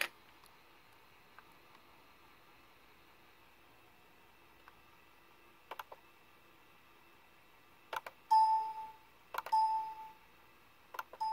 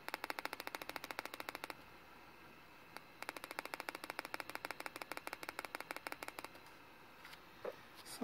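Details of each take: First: Compaq Presario CQ60 laptop speaker playing four clean, bright chimes with no crackle or clicking after fixing a short in the speaker wires, even when pressing on the speaker. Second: Compaq Presario CQ60 laptop: rapid sharp clicking bursts from the speaker when pressed, caused by a shorted speaker wire; moving the wires stopped the clicking and the speaker worked.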